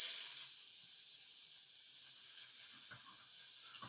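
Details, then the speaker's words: Mamod toy steam roller, not run in decades, freshly cleaned and oiled, first steam-up: steam whistle jammed open, a shrill unbroken high whistle venting continuously while pressure builds. "We seem to have a permanent whistle, right?"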